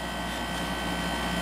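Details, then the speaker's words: Sharp window air conditioner just started: steady smooth compressor hum with constant fan rush and no rattling or chatter; running normally. "I'm going to start up this Sharp too. This thing has such a nice compressor sound."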